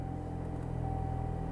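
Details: 2012 Chevy Sonic after crank-no-start fix, missing relay replaced and codes cleared: starts and settles into a smooth, even idle with steady low hum, no misses or stumbles; normal idle, blower still inoperative.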